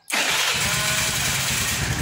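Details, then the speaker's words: Honda Vario carburetor scooter after rewiring weak starter circuit to ground instead of replacing CDI: starter whirs briefly, single-cylinder catches instantly and settles into a steady even idle; normal engine start. "Untuk pemasangan CDI kepunyaan Repo di Vario seperti ini, Vario Karbo, ini semuanya berjalan, maksudnya berfungsi."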